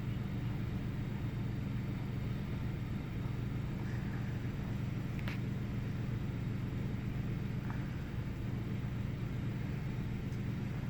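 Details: 1998 Ford Taurus SE V6 OHV, intermittent rough idle: engine shut off about 10 seconds and restarted, still a low idle with an uneven loping beat about twice a second that never settles; no significant change, cause not pinned down.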